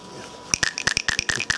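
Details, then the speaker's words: Edison nickel-iron battery cell cap shaken during watering: crisp bright clicks about eight per second from loose check ball rattling, which lets gas out and keeps air out; normal. "Hear it rattling. When it's like that, it keeps air from going into the cell, but the gas can go out."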